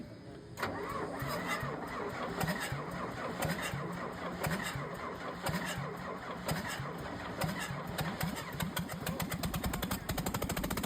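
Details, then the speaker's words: Komatsu D65/D85 dozer with a 6D125-1 diesel, just reassembled and being fuel-bled with the top injector pipes still loose. It cranks, then fires unexpectedly in uneven, lumpy pulses that never smooth out, as if on only half its cylinders. "bunyi duluan ternyata sebenarnya kita belum berharap untuk bunyi ya teman-teman karena kita masih dalam tahapan blading."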